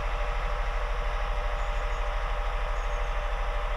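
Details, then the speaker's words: 2001 Honda Insight gen 1 hybrid, off the road 7 years, idling stone cold in a garage with bonnet up: steady even three-cylinder pulse about two and a half beats a second, no knocks or misses; normal cold idle. "this is the loudest you'll ever hear it inside a garage with the bonnet up [Applause] even when they're stone cold they're surprisingly quiet"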